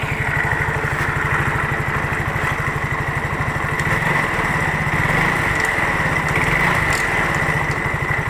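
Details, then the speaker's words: Yamaha Mio J scooter idling: coarse, uneven rattle, very rough in the CVT area; on inspection the CVT roller housing was found loose/worn. "ini kita hidupkan suaranya Kasar banget di daerah ruang Garden atau ruang CVT"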